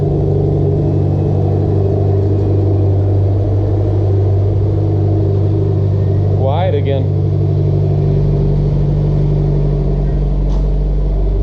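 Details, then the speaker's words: Mitsubishi Evo X, fully built engine with GTX3076R turbo, after exhaust leak welded: turbo petrol engine idles with a steady, deep, quiet drone and no ticking or puffing; normal idle, no exhaust leak. "Welded the exhaust too, so we had an exhaust leak. So that sounds a lot better right now. Way better."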